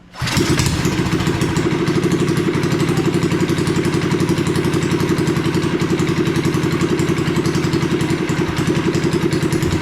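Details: Revived once-sunk Coleman minibike with swapped 212cc engine and a new crankshaft, first start on fresh oil and gas: starts quickly, then an even, rapid single-cylinder putter with no knocking; runs healthy.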